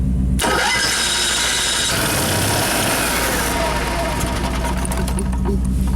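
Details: Motorhome main engine after fixing bad chassis-battery grounds that caused erratic gauges and dead jacks: short crank, catches quickly and settles to a smooth steady idle; starts and runs normally, back in business.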